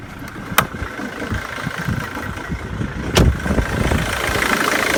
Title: Mondeo 2.0 tdci titanium 2006 rough idle